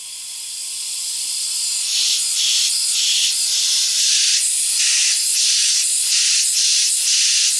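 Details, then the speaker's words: Audi B6 with swapped 2.7T and 034 Motorsports Stage 3 turbo kit, pressurized with shop air during engine reassembly: loud hissing rush of escaping air pulsing as pressure is fed; leak at the 034 inlet pipe O-ring seal at the turbo; O-ring to be replaced. "so as you can hear I'm losing a lot of air through that O-ring seal"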